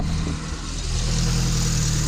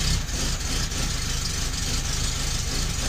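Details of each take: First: 1972 Fiat 850 Sport Spider with the 903 cc (0.9 L) engine, after fitting an adapted Fiat 127 alternator, started without starter fluid and not fully warm: a steady, even idle with a smooth low beat, no knocks, ticks or whine; healthy, charging at 13.5 V. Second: 1972 Fiat 850 Sport Spider, after fitting a Fiat 127 alternator: slow loping idle with uneven low thumps, sagging as if about to stall; idle too low, idle speed set with ignition timing.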